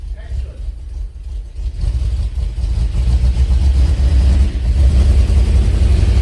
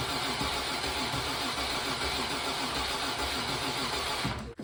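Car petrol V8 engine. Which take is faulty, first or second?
first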